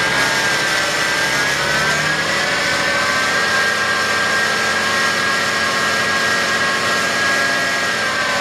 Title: 2011 BMW X5 35D bad idler pulley.